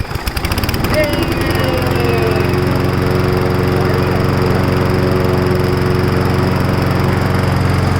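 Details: Briggs & Stratton Brute 6.75 on a 22-inch self-propelled mower after new cable, carburetor cleaning and new gas: pull-start catches within a second, settles into a steady even single-cylinder drone with no misses or surging; running healthy.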